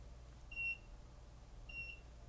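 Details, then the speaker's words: Two short high-pitched electronic beeps about a second apart over quiet room hum, heard during a bench teardown of a GE Signa 1.5T MRI shoulder receive coil; the alarm-like source is unidentified (not the meter, battery charger briefly suspected, then ruled out). "I'll have to find what's making that noise. It's like an alarm of some sort."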